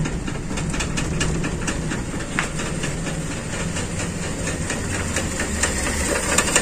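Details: Carbureted Toyota Kijang with limping, heavily shaking engine, after distributor/rotor reset; uneven shaky idle with irregular ticking and hiss, never steady; rough idle, cause not yet confirmed.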